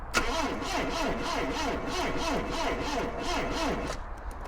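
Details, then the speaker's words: 1977 Triumph Dolomite that hadn't run in years, boosted with a jump pack: starter grinds sluggishly at about two labouring beats a second; connections, grounds and voltage drop test were good, so the starter motor is judged dead. "faster it was no breno so all of my connections and grounds were in good order I did a voltage drop test which showed up good I just could not get the starter to turn over any faster no matter how many times I beat it up"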